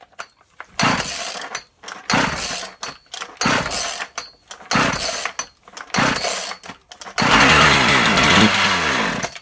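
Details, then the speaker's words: Husqvarna 36 chainsaw after repair of an open hole at the carburettor's impulse passage: several short pull-start bursts, then it catches and holds a steady high buzzing run without priming the carb; starting and running properly. "Well, that's a good sign. It fired up without putting prime in it. Okay, I'd say that's a good start."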